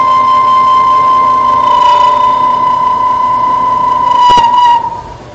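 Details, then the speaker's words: Machining cut rings with a loud, steady high-pitched squeal near 1 kHz that dies as cutting stops: chatter, which leaves a really bad finish on the part. "so in that kind of sucks that's what we call chatter that noise and what it ends up then is leaving a really bad finish on the part"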